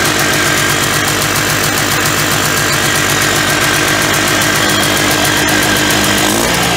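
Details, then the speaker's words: 1991 Polaris Trail Boss two-stroke, sitting 28 years, running on fuel poured into the carburetor: crisp, rapid popping at a steady, even idle with no knocks or misses, smoking enough; oil injection apparently still working. "yeah fired right up all I do was just put some gas right in the carburetor there and seems to be smoking enough"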